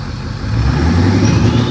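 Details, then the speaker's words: Ford 6.0 Powerstroke diesel, brief run on nearly dead batteries, revs lumpy and stumbling; unchanged after swapping PCM, main engine harness, FICM and FICM harness; suspected hard parts such as pushrod length or cam/crank timing, not confirmed. "I think it's hard parts. It's hard parts. It's got to be push rod length or something."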